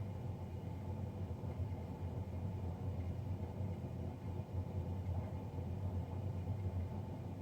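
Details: Navien NCB-240 combi boiler; steady deep rumbling roar with no knock or rhythm, combustion fan running much louder than it should.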